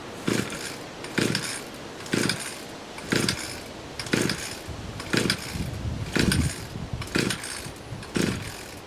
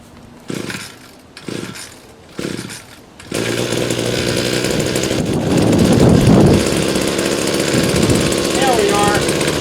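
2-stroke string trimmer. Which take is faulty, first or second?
first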